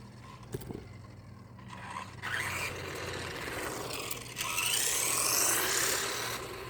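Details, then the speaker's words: Subotech BG1508 1:12 RC car, brushed motor on a LiPo battery, after about 10 speed runs without break-in: a harsh raspy whir climbing in pitch as the motor speeds up; the brushes sound worn. "Everything was running, but I can hear it. I can see it. It just, the brushes inside, I ruined them. I totally ruined them."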